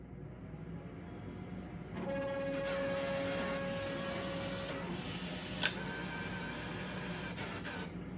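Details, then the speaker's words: IGT S+ Top Dollar slot machine, bill validator powered on with the cash box removed: a couple of seconds of even motor whir, then a sharp click as it stops. A normal reset cycle, though the front light stays off. "Okay, that sounds good. That sounds like it set it correctly."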